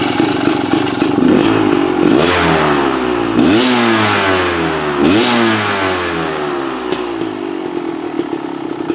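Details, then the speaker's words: Two-stroke dirt bike after dirt was cleaned from the fuel system, which had run inconsistently before: crisp blips where revs climb cleanly and drop straight back to a steady, even idle without hanging or stumbling; normal idle and rev. "That's good. Comes back down to an idle."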